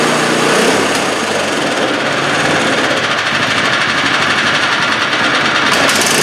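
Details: 2015 MTD snowblower small engine, brought in for surging, holding a steady, even buzz with no hunting or surging; running normally at constant speed.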